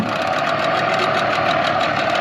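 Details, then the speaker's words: 2004 Tohatsu 9.8 two-stroke long-shaft electric-start outboard after full rebuild, first run on the lake: it fires right up (battery a little loud) and holds a fast, even two-stroke buzz at constant pitch with no misses or surging; running normally. "All we're gonna do is fire it up and see what it can do in the lake. But it does fire right up."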